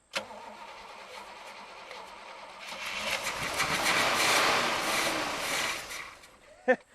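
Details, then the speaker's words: 1978 Cutlass Calais 4-speed barn find sitting 17 years, started with fuel poured down the carb throat: cranks, catches and runs smoothly with no knocks or ticks, then quiets; normal running after start. "it runs no knocks no ticks I think we need to hook up a gas can don't you"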